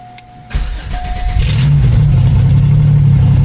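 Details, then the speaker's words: 1994 Chevrolet Cavalier 5-speed with a built GM 3400 V6, ported 3500 heads, Wottech strip cam and Trailblazer injectors, first start: starter spins, then a deep lumpy big-cam idle; sounds healthy, though the oil pressure gauge reads nothing. "Oh man. Gotta see why our oil pressure gauge ain't working. This thing sounds like a beast."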